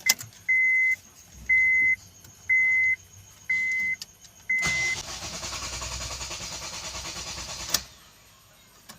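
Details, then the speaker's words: Honda Fit with hard start and check engine light, code P0335: five warning chimes, then about three seconds of steady even cranking that never catches; crankshaft position sensor failure. "This vehicle has a problem with hard start. Let me try to start the vehicle."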